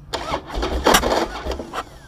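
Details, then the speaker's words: Harley-Davidson Dyna FXD on hot restart: harsh clunking clatter during cranking before catching, the typical sound of worn primary compensator springs, which can kick back on the primary chain and push the starter bendix out. "já escutaram Esse é o famoso barulho que faz quando as mãos do compensador estão gastas"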